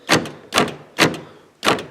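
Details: Car door locks after replacing actuators that previously only moved partway: four crisp, solid clunks about half a second apart, each a full stroke; power locks working properly, one louder from a broken clip.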